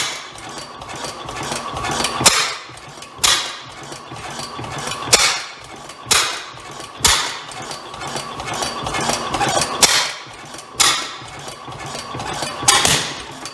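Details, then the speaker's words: Rare antique Bovard & Company engine first start attempt, flywheels spun with the intake valve held open; loud sharp uneven bangs every two to three seconds over a slow running beat, backfiring through the exhaust; exhaust issue suspected, possibly mis-adjustment. "so well we have ignition um may have a little bit of an exhaust issue there did that backfire"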